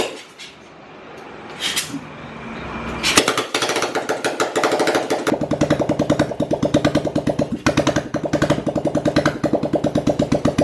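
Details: Rebuilt old Royal Enfield Bullet single-cylinder engine; clattery handling noise, then an even, steady thump at idle with no misses. Normal idle.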